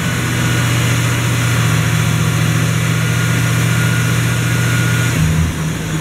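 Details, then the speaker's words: Car AC check on R-134a: engine revved to raise high-side pressure, steady hum then tone shifts as secondary condenser fan kicks on and high-side temperature drops big time, as it should; normal secondary fan engagement. "kick a secondary fans on you see that the high side temperature drops now big time that's what it should do though"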